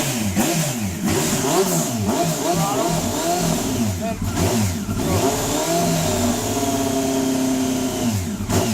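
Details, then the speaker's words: Honda CBR954RR that is hard to start hot or cold and needs throttle to keep running: revs hunt and stumble with blips, then suddenly settle into a steady, fine idle. Rough running after start, cause unknown. "then all of a sudden it just hits this spot and it idles fine but uh hot or cold it's doing the same thing gotta love it"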